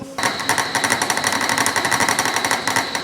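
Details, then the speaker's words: Cutting a keyway slot to 0.3865 in depth in material harder than expected. Rapid hammering, about four a second, over a ringing high squeal; end mill chatter, and the cutter is expected to snap. Cause suspected, not confirmed. "yeah that sounds tough definitely a harder material than not hard I am shocked that envel did not just snap right off yet"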